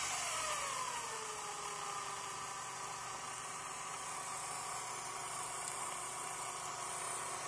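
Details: Small electric turbo motor fitted with a new MY1018 bearing full of grease spins with a smooth, steady high turbo whistle and no rumble or grinding; normal whine, no bearing noise.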